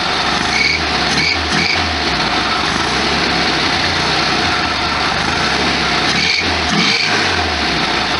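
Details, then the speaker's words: 1973 VW Super Beetle air-cooled engine at idle in neutral shortly after a cold start, after carburetor and spark plug work: steady even idle with smooth airy hum, no knocks or misses, some cold vibration; normal idle. "A lot of vibration. It's kind of cold right now. It's not quite as bad once it warms up."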